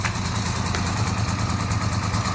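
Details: 1982-83 Honda V45 Sabre V4 café racer after correcting float bowls set far too high, fuel screws 2 3/4 turns, choke on, cold: even, low burbling idle, no missing beats; all four cylinders confirmed firing, sounds healthy.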